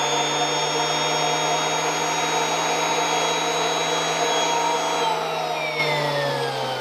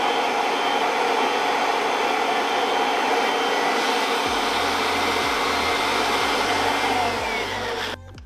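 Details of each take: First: Kirby Avalir with the stretch hose and turbo sander fully stretched: a steady motor whine whose spinning tone drops lower as the hose stretches. Airflow is reduced and the sander slows. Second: Kirby Avalir 2 vacuum with the stretch hose retracted to three feet, vacuuming velour trim: a strong, steady hiss of airflow with the brush motor humming evenly, cutting off at the end. Normal running.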